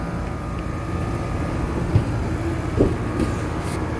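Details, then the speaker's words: Steady low hum from the outdoor unit, compressor and condenser fan running evenly without knocks or hard starts, cooling again after repairing a bad connection that had stopped the compressor starting; system noted low on refrigerant. "yep she cooling she cooling that's what it was don't let a bad connection CA you to misdiagnosed like I almost did"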